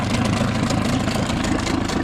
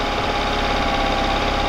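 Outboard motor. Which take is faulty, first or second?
second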